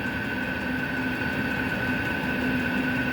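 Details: Vevor 8 kW diesel cabin heater with cast radiator heat recovery, about 10 minutes after start-up (outlet 232°): steady high whistle over a soft blower roar from the combustion-air intake filter. Moving the intake outside later quieted it.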